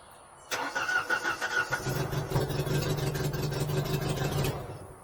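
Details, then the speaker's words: Genie S60 boom lift started from ground controls: starter cranks steadily about four seconds with uneven chuffs but never fires; crank no start, ignition/fuel light (no. 9) off in ground mode, ignition power missing. "Problem is no start from the ground. So problem is crank no start."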